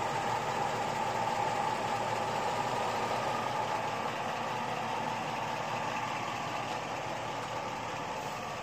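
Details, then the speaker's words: LS V8 truck with a rebuilt top end and Comp Cams 54-525-11 cam, on Evolution hydraulic roller lifters after about 38 hours, warm idle: light fast ticking around four per second that is now hard to hear, unlike the loud earlier 8957 lifters; hydraulic lifter tick. "at this point the lifts are noise you have to listen hard for it but at least you can't hear it coming down the road a quarter mile"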